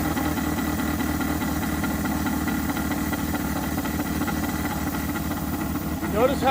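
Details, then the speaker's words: 1983 Mazda B2000 carbureted engine, fuel line just reconnected: catches but chugs unevenly with lurching beats as the float bowl hasn't filled; fuel starvation stumble. "we are going to fire it off see what happens i suppose i don't let the bowl fill first"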